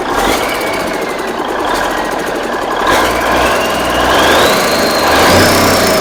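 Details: Big Cam Cummins NTC 365 diesel: strong even clatter picking up smoothly as revs rise, no misses or heavy knocks, no smoke; runs good.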